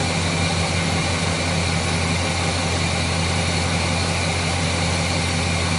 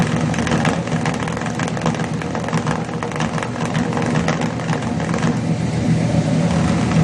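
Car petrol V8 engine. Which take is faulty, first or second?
second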